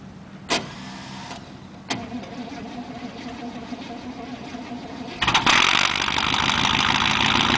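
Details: 1988 Chevy cold start: a few clicks then long steady cranking about four pulses a second before catching and roaring; hard cold start, cause not confirmed.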